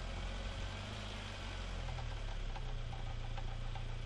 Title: Не понятный стук в двигателе (видео 2)